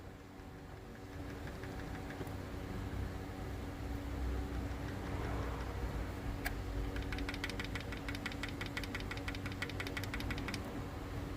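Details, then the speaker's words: 2009 Honda CR-V engine running with the valve cover off: sharp, rapid metallic ticking at idle from excessive valve clearance, with some valves stuck and others very loose. "mas olha só pelo som já dá para nós perceber que aqui tem válvula presa e válvulas muito folgadas"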